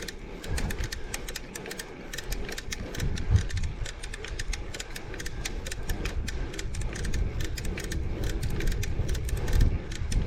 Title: Torturous Clicking Sound